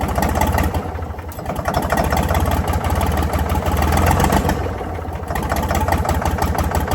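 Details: Previously seized Ford 4000 diesel tractor on starting fluid: uneven chugging that surges and sags with loose knocks, barely staying lit; owner suspects throttle and air and a diesel leak, knock cause unclear.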